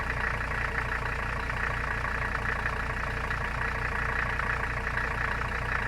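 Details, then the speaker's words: Mercedes 300CD diesel idling cold, block likely sub-freezing: steady clatter with a rise and fall, idle builds to about 1000 rpm then drops to 600, lopey; owner guesses cold, possibly fuel delivery issue, unconfirmed. "so that's what it's been doing whenever it's cold um it's kind of lopey it like builds up to like a thousand rpm and then it drops off to like 600."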